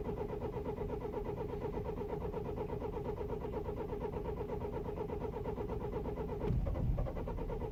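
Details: 2009 BMW E91 320i after 9 hours outside at -12°C, cold start: steady starter cranking near three turns a second with no firing; crank no-start caused by broken camshaft chain tensioner, chain and tensioner replaced.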